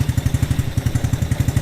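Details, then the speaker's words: Cheap mini Jeep, first start after a racing-engine swap (listed as 140, unverified), choke pulled, pulse fuel pump: quick even single-cylinder idle through the small rear muffler, no misses or knocks; normal healthy idle. "Dude, that little muffler back there is Sounds good, dude. It sounds so cute."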